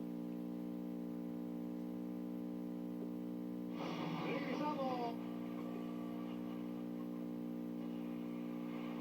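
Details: Mid-1960s Arvin AM/FM stereo tabletop tube radio under repair: a steady low mains-hum drone sits constantly under everything, unchanged as program sound comes and goes; owner will scope whether it comes from the supply line or the audio circuit.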